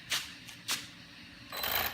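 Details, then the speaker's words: Brand-new VKAR Bison RC truck at very light throttle: short dry crunch-rattle bursts, like slipping or grinding in the drivetrain; owner suspects the slipper clutch or off gear mesh, not confirmed. "Yeah, that right there. Yeah. Yep, this sort of crunch rattle type of sound."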